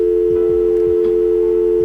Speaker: the sound or tone that you heard would let you know if your phone was ready for making a call